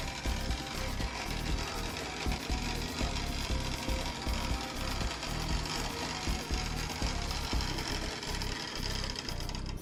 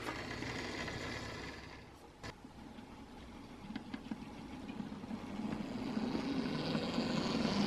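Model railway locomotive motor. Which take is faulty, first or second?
first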